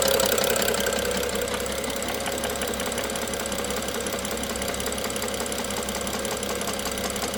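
Steady idle with a light, fairly even tapping running over the engine note, about three per second; an idle knock of unknown origin.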